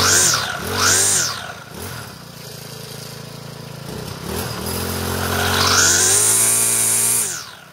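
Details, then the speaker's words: Troy-Bilt 4-cycle trimmer, cold on half choke, after a failed clutch was repaired: the engine revs up and down cleanly, pitch rising and falling smoothly with no slipping or rattling; normal running. "this is my weedeater end to test it out start it up here it's cold leave it on half joke for a minute or two"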